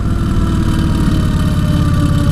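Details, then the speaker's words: 2003 Vulcan VN1600 Classic on first ride, decelerating in high gear: loud, lumpy V-twin burble with an odd uneven noise beneath. Rider suspects the transmission and thinks it needs fresh gas; unconfirmed. "guys if you know what that sound is let me know I'm basically just slowing down ride her around the edge here"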